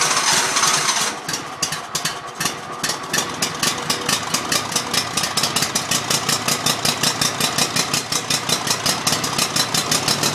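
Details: Mower engine cranks in fast, uneven chuffs near three per second that never catch into a steady run, and it smokes; hard starting.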